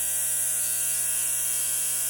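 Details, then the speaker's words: 1960 Zenith X519 clock radio during repair, alarm switch confirmed closed: thin, steady, high-pitched electric alarm buzz with an even low hum behind it; alarm buzzer working normally. "okay the alarm is buzzing"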